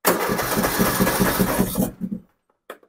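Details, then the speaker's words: Poulan Pro 300 EX Series riding mower, gas drained last fall and refilled fresh in spring: even starter cranking about two and a half beats a second, never catching; cranks but won't start. "the customer drained the gas out of it last fall so the gas wouldn't sit over the winter time and they put fresh gas in it the spring and all it does is turn"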